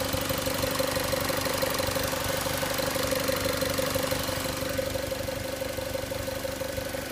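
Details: 2006 Mazda Miata MX-5 NC engine at steady idle: a light, even metallic tick about three per second rides over the engine. The owner asks whether this is normal; the cause is not pinned down.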